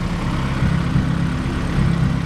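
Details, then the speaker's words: 1993 Honda Civic EG hatchback at idle with new Skunk2 Alpha radiator and Spal electric fan, coolant bled, fan kicks on at 196°F; strong steady airflow roar over smooth idle, no rattles or scraping; normal radiator fan operation. "and uh this fan is awesome it makes my old fans seem like a toy"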